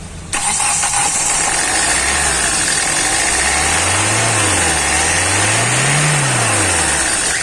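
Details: Hyundai i20 1.4 CRDi diesel with Delphi injection, earlier low rail pressure and no start, fixed by replacing a faulty injector: engine catches promptly and settles, revs swelling and easing a couple of times, no misfire or knock; healthy start.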